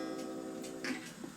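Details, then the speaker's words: 8-day Black Forest Regula cuckoo clock after cleaning and oiling: the hammer was bent up so it strikes the gong properly. Now a clean ringing gong that fades smoothly, with quiet, even ticks about every half second. Strike and beat sound properly adjusted. "Now that sounds terrible. That's a little bit better."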